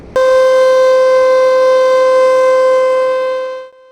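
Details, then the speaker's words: Hydroelectric plant warning siren, part of a system alerting people that conditions downstream or around the structure are changing: a loud, steady single-pitch tone for about three and a half seconds. "The sirens aren't just there for dramatic effect. They're part of a warning system used to alert people that conditions downstream or around the structure are changing."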